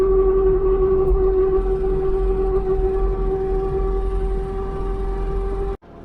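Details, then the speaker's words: Mk3 Cortina on the road after its worn 1600 propshaft was replaced: a steady, loud mid-pitched whine with higher overtones holds over road noise, from the very noisy rear axle that still needs fixing. "As you can hear, it's very noisy. The noisiest one I've ever heard. Woo! That's one noisy mama of an axle."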